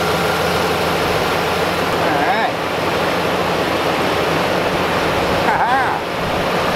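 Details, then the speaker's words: 2003 Dodge 2500 after condenser fan replacement: even, unbroken rush of air over the idling truck with no grinding or ticking; new condenser fan running fine. "we're gonna go ahead and start it up and yeah see if his fan kicks on you guys don't know before I do cuz I'm gonna leave you out here so listen for that fan to click on"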